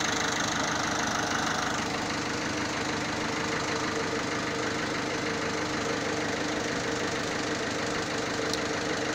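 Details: Peugeot/Citroën 1.6 HDi diesel idling with an uneven knock around three per second over the clatter; owner, who has had the car 3 years, says the noise changed despite the oil and filters being serviced on time, while another mechanic called it normal. Cause unconfirmed.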